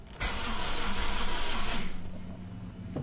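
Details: 2005 Toyota RAV4 manual, gasoline, in the cold: starter cranks steadily under two seconds with no catch; no fuel pump hum heard at key-on and no fuel seen coming out; fuel supply or wiring suspected, not confirmed.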